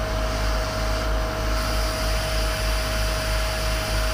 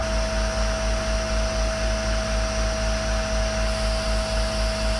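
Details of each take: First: 30ft powder tanker Isoveyor unloading, final checks with aeration beds open: compartment three discharge pipe gives a steady even rush of air with constant low drone and no gritty powder sound, only air flowing, so the compartment is empty. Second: Unloading a 30ft powder tanker (isoveyor) with the truck compressor, pressure building toward about 1.5 bar: constant hiss and hum with a steady high tone as air leaks from a joint in the discharge pipe, showing as back pressure; not critical.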